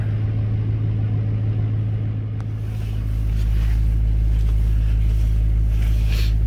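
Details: 2005 LLY truck swapped to an LBZ Duramax diesel, cold start: steady low diesel idle that deepens and grows louder as it catches and settles, even firing and no knocks; healthy cold start.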